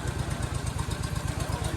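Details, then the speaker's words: Gravely Rapids single-cylinder overhead-valve engine; steady even thump about twelve a second with no misses or knocks. Normal running. "dude that thing sounds perfect"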